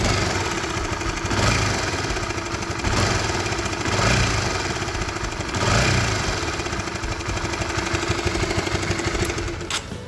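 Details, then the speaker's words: Honda CB150R motorcycle idling with a faint clattering knock swelling every second or so, intermittent, from a worn cam chain tensioner (LAT) needing adjustment. "Nah itu bunyi nguk dari Tensioner yang sudah kena pada motor Honda CB150R"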